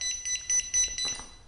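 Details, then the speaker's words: Jazzy Air 2 power wheelchair: repeated shrill chirps, about five short beeps in 1.5 s, the tilt alarm from a leveling caster sensor stuck down. "another common problem that can happen with the Air 2 and the sensors is if your seat lift is all the way down yeah your chair will sometimes give off that alarm"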